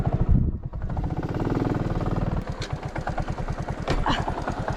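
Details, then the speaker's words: Motorcycle heard after climbing the mountain range near Gigante, Huila: steady fast engine thumping with a hollow, echoing knock under load, a noise the rider has felt since the climb; abnormal engine noise, source undetermined. "La Paloma tiene un sonido en el motor que ya vengo sintiendo desde que subimos la cordillera."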